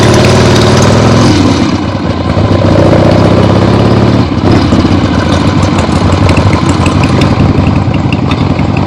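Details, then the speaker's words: Freshly rebuilt 1975 Harley-Davidson XLH Ironhead Sportster V-twin on short test ride around the block; loud open-piped lope pulling and backing off smoothly, no knocks or misses; a few carb farts, likely adjusted out once warm; normal running. "Yeah, just a short test ride. 3 or 4 times around the block of my neighborhood here. Very happy with the way that went. This thing runs great."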